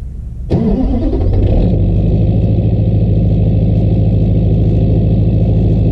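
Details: LBZ Duramax diesel truck, cold start at -11°F after a -12°F night at 9000 ft altitude, one grid heater cycle: cranks briefly, fires right up and settles into a fast, steady cold high idle with a faint turbo whistle. Normal.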